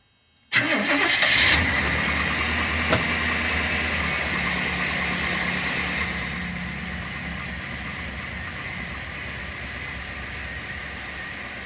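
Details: 1993 Chevy G20 van, 5.7 L V8, after a crank/no-start, no-spark, no-fuel fault: with the distributor loosened and timing being set by ear, it cranks quickly, catches within a second and settles into a steady, even idle; starts and runs cleanly.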